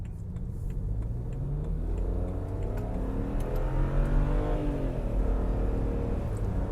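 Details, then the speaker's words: BMW 335i E90 with N54 turbo engine, free car being restored and still chasing a boost pressure issue, full-throttle highway on-ramp pull: deep note climbs smoothly to 80 quickly, building boost, no turbo wastegate rattle or flutter; normal full-boost acceleration. "holy cow guys this thing is hauling ass woo boy she gets to 80 so quick she's building boo she's pulling I don't hear any turbo wastegate rattle"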